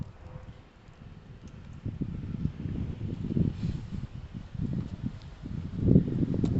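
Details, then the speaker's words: Kawasaki ER5 twin after fitting second-hand replacement coils, likes choke; low lumpy surging and sagging exhaust beat, misfiring and running as badly as before, owner suspects the already-cleaned carbs. "So it's running as terribly as it was before. It actually ran possibly a touch better before."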